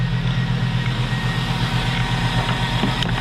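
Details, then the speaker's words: Quiet, even V8 idle from a 2005 Cadillac Escalade's LQ9 at 178,000 miles, first start in a weekend, making oil pressure; no lifter or LS tick, exhaust manifolds apparently already done with replacement bolts: healthy normal idle. "very very quiet uh looks like the manifolds may have already been done on this but no lifter tick no no ls tick either"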